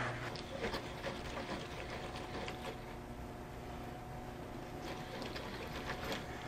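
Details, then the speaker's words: 1990–1993 Daihatsu Hijet 4x4 mini truck, left front outer CV joint cleaned and repacked with grease before a new boot: turned by hand it gives only soft faint clicks, no grinding; the joint is sound. "can hear there's no grinding, there's no nothing, it's perfect. It's what you want."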